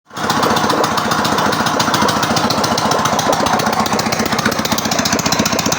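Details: Ural motorcycle twin, first start after a full engine overhaul: catches at once and settles into a fast, sharp, even popping beat with no knocking. Runs properly.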